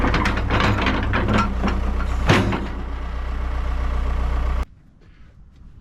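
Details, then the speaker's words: Kobelco SK120LC excavator diesel, started by sending 24 V straight to the ignition with a power probe because of a wiring fault: steady, even idle with no knocks or misses. Normal diesel idle. "So, you can hear it. It fires up great. I mean, it really is uh a good running machine"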